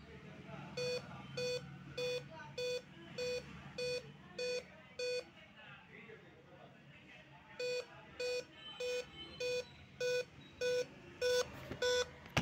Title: Dell laptop beep sound problem Solution